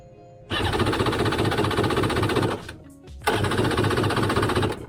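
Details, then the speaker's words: Jet ski with new spark plugs and choke out, cranking in two long bursts at about four chugs a second without catching; cranks but won't start, sounds better than before; owner suspects no fuel is getting through. "nothing but it honestly it does sound a lot better gonna give her a few pumps"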